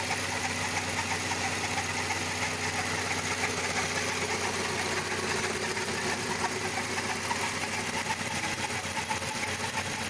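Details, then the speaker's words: VW Gol G6 at idle: irregular light rattle over steady engine hum from the belt/pulley area, started after the timing belt was replaced; exact source unidentified. "O carro tá com um barulhinho aí que eu não consigo identificar onde é. Isso é na correia, isso é de polia aí, ó."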